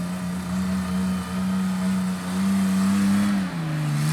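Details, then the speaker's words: 1989 Toyota pickup before exhaust swap from downpipe back: deep steady drone, loud and boomy, dipping and shifting pitch with throttle; worn, overly loud exhaust to be replaced with quieter system from parts truck. "So I'll jump in the truck, fire it up just so you can see what it sounds like, although if you've been around the channel, you know it's loud, it's not adequate."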